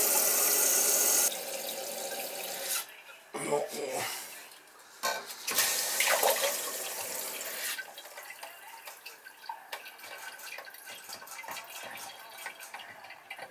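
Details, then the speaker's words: Toilet after new wax ring and adjusted fill valve: water hisses into the tank and tapers off quietly, no bang at shutoff; bolts dry, leak fixed, fault was fill valve/supply not wax. "[Music] that's better no more banging you have the bolts are dry so it's not leaking anymore"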